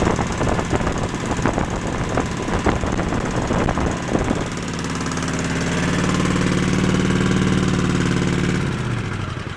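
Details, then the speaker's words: Craftsman tractor twin-cylinder engine being checked to see whether both cylinders fire. An uneven, lumpy putter with missing beats, then a steadier drone, is heard; one cylinder is doing nothing, with lack of spark or compression suspected: running on one cylinder. "correctly so it's only running on one cylinder this cylinder is not doing anything"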